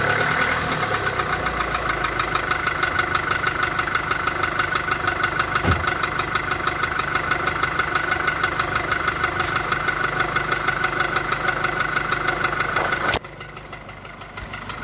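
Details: VW Golf 4 1.4 16V at idle: sharp regular knocking roughly three per second over quiet idle; clear engine knock, source not identified.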